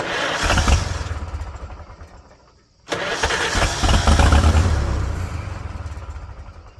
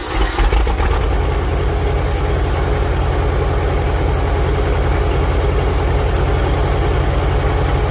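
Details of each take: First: 1946 International Harvester Farmall H, first start after repairs: engine catches in rough bursts only while the starter turns, then dies when it stops; harness was wired to the wrong side of the starter, so ignition gets power only during cranking. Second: 1946 International Harvester Farmall H, after a pushrod replacement and deep cleaning, in neutral with a low battery: catches after a brief crank and settles into a steady, even idle at about 210 pulses a minute with no misses; normal idle.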